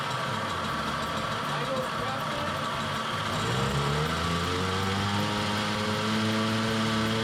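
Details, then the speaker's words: Tomos 50cc two-speed automatic two-stroke moped, first run after kickstart on old tank gas; rough uneven rattle settling into faster idle with gravelly undertone, owner says bearings sound awful, left unrepaired. "the bearings sound awful uh that is someone else's problem for later because I am not disassembling this motor"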